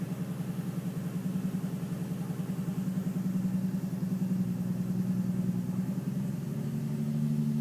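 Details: Nissan 350Z at idle: lumpy, uneven stumbling beat with a faint knock underneath; misfire with slight knock, cause not yet clear.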